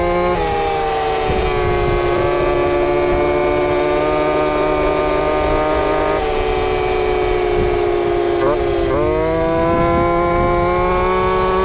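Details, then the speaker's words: Two-stroke RC Big Foot, camera chest-mounted, warmed up after fixing motor plate screws rubbing the off-road tire: high clean drone steady at full throttle, brief dip and smooth recovery, no rubbing; normal run. "we'll make sure this thing's fully warmed up and the tune is close and we'll see what happens feels way better"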